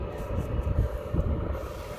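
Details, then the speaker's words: Repaired diesel heater after teardown and soot clean, set high in 12-degree weather, fully warmed with vent flange very hot; steady low combustion roar, even fan rush, no popping, surging or rattles; running as it should. "That is the way it should work."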